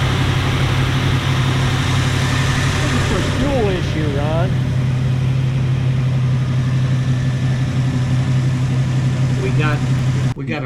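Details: 1977 Jeep Cherokee Chief, warm at 195°F, spark and fuel issues: loud, low idle with an uneven, loping beat that never settles; rough idle from fouled plugs and weak spark.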